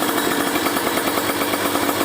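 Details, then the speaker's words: Kawasaki Ninja 150RR two-stroke fitted with a booster/ground cable, after carburettor rejetting: a rough, spluttery low-rpm burble. The bottom end is deliberately set rich; slightly more air opening is needed. "Ini boros ya bawahnya teman-teman. Sengaja saya bikin boros karena kasihan ya kalau bikin apa namanya? Dikering-keringin."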